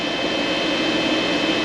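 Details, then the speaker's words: Vtoman Jump 1800 LiFePO4 power station loaded to about 1560 W by microwave and coffee maker; cooling fan runs hard with steady rushing airflow and a thin constant whistle, no surging; normal. "yes the fan did come on but that's just to keep it nice and cool"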